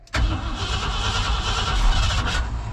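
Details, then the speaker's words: 1990 Ford F600 with a flooded carburetor cranked at wide-open throttle: a sharp loud backfire bang as it catches, then a rough uneven run. "I think this thing has dynamite in the exhaust uh it backfired hard enough to break dirt"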